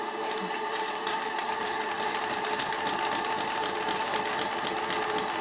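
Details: Articulated paddle-wheel model steam engine on its first steam test, exhausts onto sponges, small leaks from untightened glands: light rapid mechanical chatter with soft steam hiss, steady and even; running smoothly.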